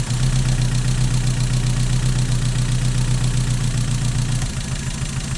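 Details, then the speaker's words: Mazda MX-5 idling during a cylinder balance test with HT leads pulled one at a time: rpm drops clearly on cylinders 2 and 1 but barely on 3, so cylinder 3 is the weak one. "Very obvious on 2. Or not very obvious. Yeah, it is very obvious on 2. And very obvious on 1."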